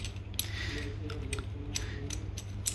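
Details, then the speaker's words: Differential judged not repairable, its gears showing no cracks or missing teeth, turned by hand: slow gear mesh with uneven dry clicks and ratcheting snaps and no oily damping; the gears are running dry. "I don't see any crack or something missing. It looks okay. It's dry. You hear that's dry. Yep."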